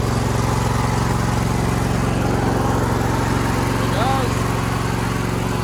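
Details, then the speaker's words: John Deere L120 lawn tractor, about 20 years old, started with choke then choke cut down: steady, even low putter with regular firing beat, no knocks or misses; engine still runs smoothly. "I don't know if you can hear me but this engine still runs pretty smooth okay"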